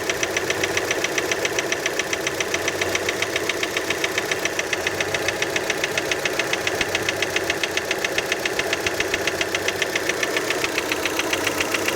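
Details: Steady cold idle just after start on a Fiat Panda: sharp, even ticking knock about two and a half per second; cold-start knock, cause uncertain, many suspect piston skirt.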